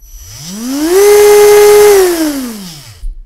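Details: Freshly rebuilt CrawlMaster Sport brushed RC crawler motor with slight timing advance: clean whine climbs to a steady high pitch, holds, winds down evenly without rattle; runs faster forward than reverse, healthy.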